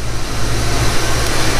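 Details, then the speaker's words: 1991 Ford Mustang GT Foxbody, cold start after throttle body and idle air bypass cleaning (previously hunting at idle): smooth steady idle, even low rumble, no rise and fall in speed; normal idle, fixed. "let it idle down here a little bit well that's a heck of a lot better than what it was before i'll tell you that much yep that fixed it"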